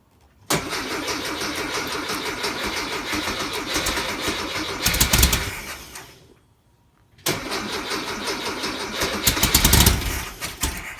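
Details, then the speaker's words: Rebuilt 1641cc engine with lightly ported heads, first start on ground without cooling tins, via start box: catches at once, steady idle with quick blips, shut off and restarted cleanly; healthy. "let's start it up let's hear it run this will be the engine's first start"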